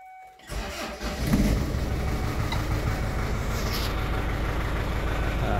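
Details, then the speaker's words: Kia Carnival diesel: short crank, then low, uneven, limping idle that sounds ready to die; won't stay running without throttle, ABS light on, tachometer and speedometer dead; hard starting and rough running, turbo seems OK. "Suaranya pincang, nggak stabil."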